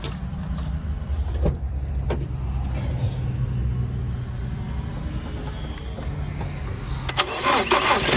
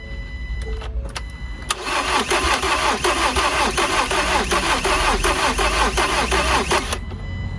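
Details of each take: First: Salvage 2019 Ford Transit Connect during rebuild: starter churns briefly, engine catches cleanly and settles into steady, even idle; sounds healthy. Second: Salvage 2019 Ford Transit Connect being rebuilt after new manifold install: starter spins engine steadily for several seconds but it never catches; crank no start, no fuel because fuel pump plug is broken off so pump isn't working.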